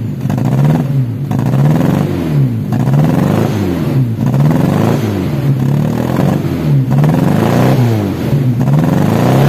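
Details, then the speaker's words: Daihatsu Taruna EFI in neutral before tune-up, complaint of hesitation and lack of power, no stored DTCs. Repeated throttle blips give a slightly ragged exhaust note, a misfire traced to oil-fouled plugs and a leaking coil boot. "Oke, cek engine aman yo, 0 DTC tapi pincang. Kenapa? Yombo 0 DTC tapi pincang yo."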